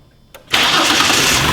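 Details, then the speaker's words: 2008 Ford Explorer starting after throttle body cleaning for rough idle and carbon build-up; short crank, clean catch, strong steady fast idle burning off cleaner, normal start. "there you go we're going to give it a second and it's going to burn off all that throttle body cleaner if any got inside the motor"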